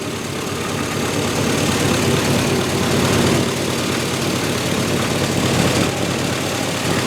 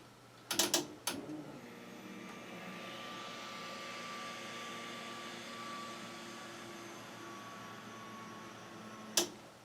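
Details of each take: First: Turbocharged 1961 Chevy pickup on day 5 of its first start, with a junkyard throttle actuator controller now fitted. Rough, loud idle with a raspy, hissy puffing edge over the low rumble from an exhaust leak at the turbo V-band clamp. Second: Turbocharged 1961 Chevy pickup project, first start: relay click, then the fuel pump hums evenly for several seconds before cutting off; it runs normally and holds pressure with no leaks, regulator not yet set.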